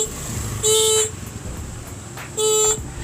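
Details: Motorcycle horn, silent for two months, after cleaning and adjusting its setting: two clear, steady half-second blasts with a strong bright tone and no rasp or fading; the horn works normally.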